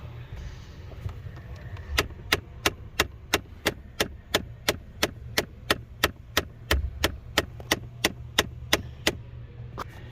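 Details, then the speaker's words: 2014 Ford Fiesta after blower motor replacement: sharp, evenly spaced ticks about three per second over a low hum from the dash, the recirculation door actuator hunting as it tries to park at startup or shutoff; actuator to be replaced. "That is your recirc door actuator. A lot of times it'll do it on startup, and it'll do it It does it when you shut off, and it tries to park this recirc"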